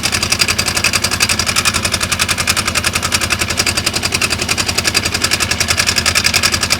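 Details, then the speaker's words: 2015 Polaris RZR 900 idling before a Mother Clutcher primary clutch install: sharp, even metallic clicking about four per second from the clutch side; owner suspects worn rollers or flat spots on the primary clutch weights. "So, if you guys can hear, I know it's loud, but you'll hear that clicking noise."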